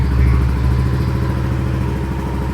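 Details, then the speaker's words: Yamaha NMAX V2 scooter idling steadily and evenly with no ticks or rattles, started right after the owner's first DIY coolant change; the idle sounds normal and healthy. "Yan, mukhang okay naman siya mga boss."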